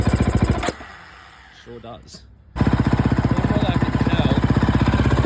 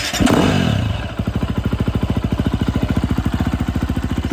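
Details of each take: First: 2011 KTM 350 SX-F single-cylinder, fuel tank already swapped: steady popping about four beats a second after a brief cutout, crisp but lean; massive top-end dead spot with no power, running super lean from a clogged fuel injector, possibly its filter, later fixed by replacing injector, tank and spark plug. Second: 2011 KTM 350 SX-F after repair with replaced injector, fuel tank (fuel pump) and spark plug: after a blip, crisp even single-cylinder idle thumping about three to four times a second, no stumbles or dead spots; dirt bike now idling cleanly.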